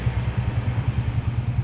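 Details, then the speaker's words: 2011 Honda Wave 125i, electric start: an even, quick, low putter at idle with no misses or ticking. Fuel injection is working normally and the idle is stable and healthy. "เนี่ยระบบหัวฉีดทำงานปกตินะครับเดินเบานิ่งๆเลยนะครับรถดีมากเลยเครื่องนิ่งเลยนะครับ"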